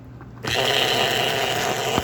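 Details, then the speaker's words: Model train non-smoker chassis fitted with a new gear to provide the puff and chuff signal, tested on the tabletop: motor spins up into a steady, busy high whir with a gritty gear buzz. Source unclear; it hummed about the same without the gear. "But you can hear it's a little noisy. I'm not sure where it's coming from. Without the gear, it made a little bit of a hum, about the same amount actually."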